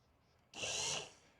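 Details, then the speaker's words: Rieco-Titan truck camper jack, spare motor tested during teardown: a brief, smooth high whir with no grinding or clunking, much quieter than the original motor, which sounded like it was going. "yeah so this motor is a lot quieter so we're going to take this motor out and put it in there in the other head cuz this one's pretty beat up paint wise"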